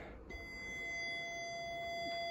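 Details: Atari 800XL computer, on the bench connected via composite video: a steady piercing high tone comes on at switch-on and holds unbroken, with only a split second of video at times; fault at power-up, cause not yet found.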